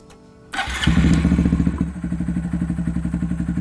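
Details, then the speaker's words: 2018-2020 Honda Monkey 125 started after installing Chimera short ram air intake: catches first try and settles to a steady, even thumping idle about four beats a second, no check engine light; runs healthy. "And the next thing you'll do is turn on the bike, start it up, make sure the check engine light is not on, and listen to it purr."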